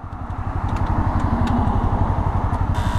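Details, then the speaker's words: Motorcycle failing to start in neutral during a tour: slow labouring starter groan pulsing about four times a second, never catching, battery buzzing; suspected low battery voltage leaving starter unable to turn the engine, not confirmed. "それが回らないであればおそらくバッテリーの電圧不足でスターターモーターが回れずググーみたいな音がしてるんだと思います"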